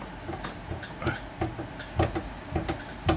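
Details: Nissan Sentra front suspension banging over bumps: dull irregular metal clunks, two or three a second, sounding like the front end falling out, caused by worn front subframe/frame bushings, with the subframe sitting on the rail.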